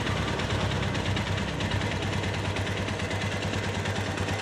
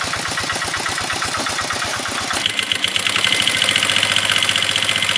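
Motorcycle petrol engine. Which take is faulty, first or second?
second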